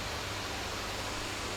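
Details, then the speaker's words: MacBook Air 2019 (A1932) stuck at the Apple logo, running with the battery disconnected: a steady, loud, airy rush with no change in pitch; the cooling fan is running at full speed. "lumayan kencang untuk suara kipasnya. Dan itu karena ya muter kipasnya dia cepat, jadi pasti dia mengeluarkan suara."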